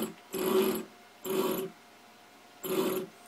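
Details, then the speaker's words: DIY CNC machine stepper motor run from Mach 3, wired through RJ-45 cable, 24 V DC to the driver board, moving an assembly of about 50 lb: three harsh buzzing bursts, growling on each step but not turning; stalls, owner suspects insufficient torque, wiring or the 24 V supply. "doesn't have enough torque to move it um this whole assembly is kind of big so maybe about 50 lbs or so of weight"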